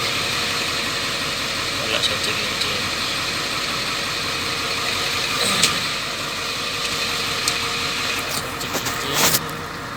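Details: Ford F450 7.3L diesel that cranked but would not start, fault traced to the CMP sensor, now running; steady, even clatter at idle, no misses or knocks: normal idle.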